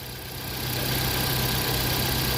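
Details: Ford Fiesta/Focus engine after repair of idle hiccups: timing was found about 30 degrees out and corrected without replacing parts (other garage had replaced coil, plugs, throttle body); now a steady, even idle with smooth low hum, no stumbles or surges.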